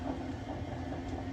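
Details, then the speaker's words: 2011 Jayco Eagle Super Lite 256RKS travel trailer, slide-out powered from battery via wall switch: steady motor hum with faint rapid clicking when the slide reaches full in or out travel, normal end-of-cycle indication. "once it gets all the way in or out you will hear a clicking noise that's normal it tells you it has reached its full cycle"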